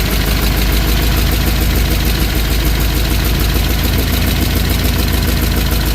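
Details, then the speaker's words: '63 Chevy Impala small-block V8 after valve lash adjustment, car sat in a field for years; loud steady idle with fast clatter about three beats a second, a little quieter after adjustment, owner blames a leak for most of the noise. "So, got a little quieter, but there's also a Vbay that's over there leaking. That's where most of that noise is coming from right there."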